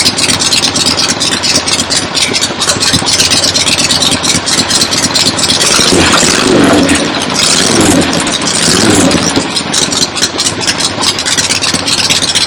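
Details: Freshly rebuilt 1975 Harley-Davidson XLH Ironhead Sportster V-twin, first start outside with temporary lawnmower gas tank; loud, uneven idle holding steady without stalling, oil return established so oil pump working; normal idle.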